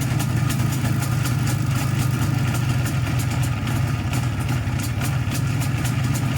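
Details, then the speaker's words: 1987 IZh Jupiter 5 two-stroke twin: steady run with sharp metallic tick and ringing; owner suspects piston group, wrist pin or crankshaft, and also a noisy primary chain; engine knock and ringing. "А работает он не совсем хорошо, что-то в нем звенит."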